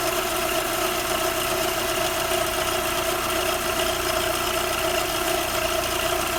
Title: Audi 80 PP Engine weird Noises...